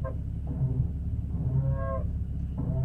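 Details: Porsche 981 Cayman S creeping slowly: low moo-like brake groan in slow bursts about a second apart; owner asks whether this is normal, cause unknown.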